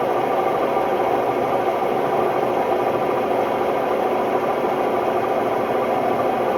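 Loud, steady roar and rumble through the whole spin with a rattly edge; classic worn drum bearings.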